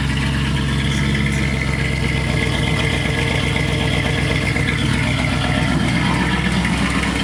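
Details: 1986 Chevrolet Camaro IROC-Z after welding the exhaust pipe broken at the Y-pipe fork, first start: steady, even idle with deep low rumble, no puffing or ticking; exhaust sealed and leak-free, normal idle.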